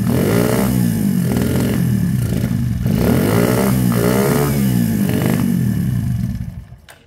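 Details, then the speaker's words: KSR GRS 125 motorcycle with ongoing carb issues; revs swell and fall about once a second, never holding steady, then it dies; surging traced to the carb slide diaphragm. "yeah it's a diaphragm thing"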